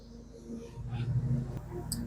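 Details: Twin-cylinder engine idling during compression/leakdown diagnosis: quiet, lumpy uneven idle as if on 1.5 cylinders; no suction at the carburetor, not pulling air.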